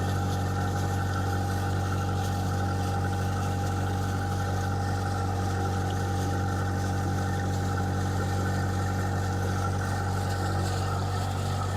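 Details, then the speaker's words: Diesel, unrun for a while, in forward gear at 1500 rpm, oil pressure just over 50, water temperature coming up, alternator charging: steady, even drone, smooth throughout with no knocks or misses. Normal running. "The oil pressure is up to a little bit over 50. I'm running at 1500 RPM, and the water temperature is coming up."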